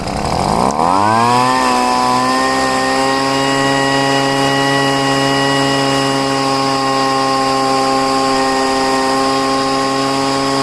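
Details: Poulan leaf blower, first start after five months' storage, after pouring gas into the cylinder, heavy priming and richening the high-speed mixture screw; starts and climbs to a steady, even high drone with clean pitch: normal running.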